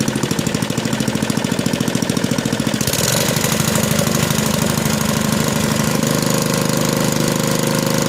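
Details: Small lab engine with properly set mechanical governor: fires, runs up quickly and holds a steady even top no-load speed with no hunting; governor correctly adjusted.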